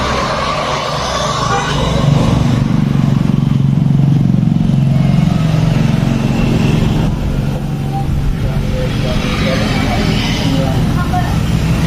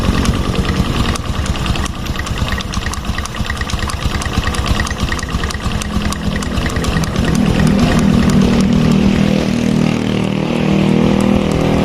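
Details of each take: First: Honda Revo Fit fuel-injected motorcycle after the lower oil filter screen was cleaned and oil refilled, idling. It gives a steady low hum with no knocking; the right-side clutch-area tok heard before the repair is gone. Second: Fuel-injected Revo scooter/motorbike idling with a light, regular tok-tok knock on the right-side clutch area; knock persists with primary and secondary stationary, so mechanic concludes centrifugal clutch shoes are the cause.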